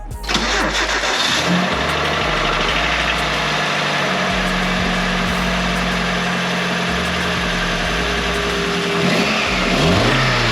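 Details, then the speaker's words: Nissan KA24 after timing chain, timing cover, front main seal and gaskets replaced for suspected chain slap (previously gravel-like rattle): cranks, catches, settles to a steady idle with blips, no chain rattle; sounds much better than before. "That sounded decent, I think. It sounded a lot better than it has in the past."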